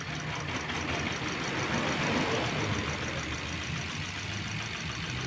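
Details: 2014 Mitsubishi Swift, runs fine cold, fault appears warm; idle stumbles with rattly lumpy beat, cylinder 3 dropping out with power loss: misfire.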